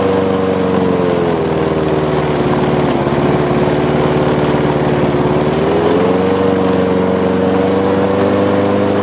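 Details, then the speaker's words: Lawn mower with a bent crankshaft, with gas and oil present and primed: the single-cylinder engine runs rough with a shaky beat and vibration, and the revs sag then climb back when the throttle is worked. "start it up okay let's prime it again now there is some vibrations going on"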